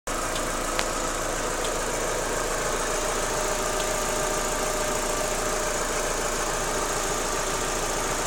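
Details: Daewoo Lanos 1.6 16V at idle: light irregular ticking knock, about two per second, from the timing belt and idler area; gone after replacing the timing belt and rollers, though the removed parts showed nothing suspicious.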